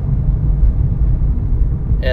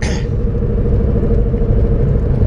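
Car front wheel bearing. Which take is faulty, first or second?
second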